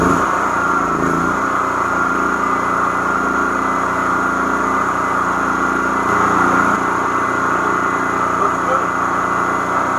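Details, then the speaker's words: Predator 8750 generator running normally after a carburetor replacement with a new fuel line, fuel filter, gaskets and air filter. It was surging before the repair. Now a steady, even drone at one speed with no hunting. "so that's how it was supposed to sound before I did this it was searching a lot"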